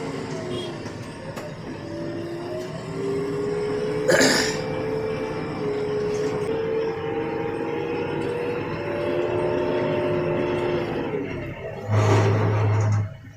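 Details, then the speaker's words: New JCB 3DX 2023 backhoe, loader raised, brakes applied while moving: loud wavering high squeal over engine rumble for several seconds; recurring brake squeal, cause unknown, dealer not yet found it. "देख लो कितनी जोर से आवाज आ रही है break करते ही आवाज आ रही है भाई पता नहीं किस चीज के अंदर आ रही है आज"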